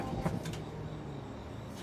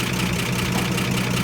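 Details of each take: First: 1955 Chevy Bel Air inline six after a tune-up (plugs, wires, cap): two long harsh cranking bursts of about three and one seconds, the engine never catching, so the starter burned up. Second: 1955 Chevy Bel Air inline six after a tune-up and cleaned firewall ground wires; steady, even low idle with regular firing pulses and no skips or knocks, so it runs healthy.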